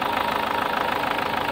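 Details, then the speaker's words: SsangYong Actyon 2.0 diesel with a Mercedes engine and the check engine light on, idling cold: a sharp, rapid clatter with knock and misfire; a return test traced it to the second injector, and the injectors are to be replaced. "é um dos bico que tá dando essa falha a gente fazer o teste"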